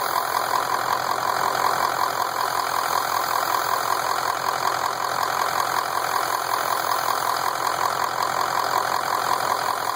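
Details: Ford F250 at idle: steady loud hiss over a quiet idling engine; owner suspects some kind of leak from the top of the motor, cause unknown.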